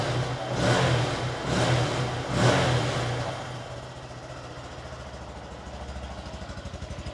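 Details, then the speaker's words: Written-off 2017 Honda MSX 125 (Grom) from auction, first start after a fresh battery; revs up in three quick clean blips, then settles to a steady even idle without knocking. Normal revving. "tell you what though it does not sound too bad at all it's idling pretty [Music] nicely"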